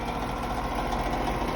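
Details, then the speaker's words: Air conditioner outdoor unit fan motor: steady hum with a rough, gritty grind and no speed change; a technician said the motor shaft is loose, while the owner disputes that the motor is fine. "it's because the shaft on the motor is really well is a bit loose causing it to make that noise which really i don't like"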